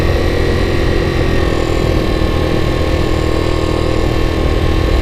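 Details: 1984 Yamaha Riva 180 scooter after cleaning and rebuild, air filter still needing replacement: small single-cylinder idles steadily with an even low putter, no misses or knocks; normal idle.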